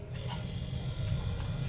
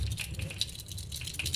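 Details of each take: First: One-door refrigerator not cooling though its light works, after fixing the power outlet connection; compressor starts and runs with a low, steady hum, no clicking or cutting out. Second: One-door fridge not cooling though lamp lights: compressor overload protector shaken by hand gives a loose, scattered rattle; the bimetal disc inside has cracked and broken loose.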